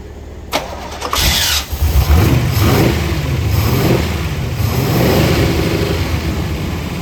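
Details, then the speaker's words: 1966 Corvette, 383 stroker, 4-speed manual, weak starter, cranking on jumper cables: brisk cranking about a second, then catches to a rough uneven idle; won't settle, blamed on old gas, fresh 93 octane added. "That's a good sounding car right there. We gotta get it to clear out so it'll idle."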